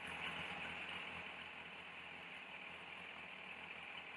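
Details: 2002 Yamaha FZS1000 Fazer inline-four, warming for carburettor synchronisation and TPS adjustment, idle around 1100 rpm: ticks over smoothly with a steady, even beat and no stumbling; healthy idle.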